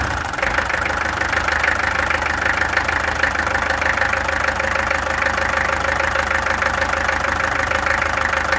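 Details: Peugeot XD2 diesel engine clattering at idle with a slightly uneven knocking beat, roughly three per second; owner suspects a misfire, and the injectors were then removed, tested and adjusted. Cause unconfirmed.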